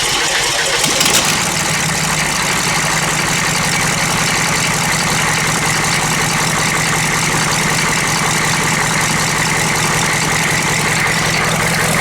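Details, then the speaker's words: GM 6.5 diesel with cleaned, reinstalled injectors after a misfire, turbo feed plugged, about 45°F after glow plug cycle: cranks, catches and settles into a loud, slightly uneven clattering idle; owner expects brief rough running as injectors lack fuel. "And let them cycle again. May run rough for a minute because there's no fuel"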